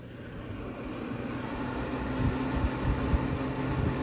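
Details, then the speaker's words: Refurbished 1970 Gibson Air Sweep window air conditioner on low fan: steady low rumble and soft even airflow hiss, no rattles or scraping; fan runs smooth and healthy. "oh yeah this unit has been gone through new brighted and everything so it's working good"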